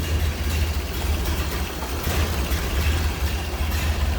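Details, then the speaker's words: 1929 Ford Model A coupe: low, steady four-cylinder putter at idle with an even, unhurried beat and no knocks or misses; a smooth, quiet runner. "Usually pretty smooth, quiet runners. Burn right along."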